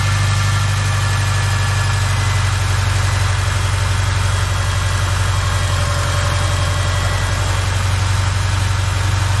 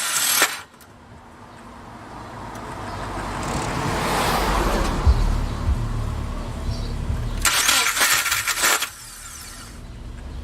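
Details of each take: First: 2007 Subaru Forester with a failed starter: smooth, steady idle with an even low hum and no grinding or clicking; the engine itself runs cleanly. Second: 2007 Subaru Forester with a failed starter, before repair: harsh metallic grinding bursts when the key is turned, with the engine churning between them. The starter is not engaging properly.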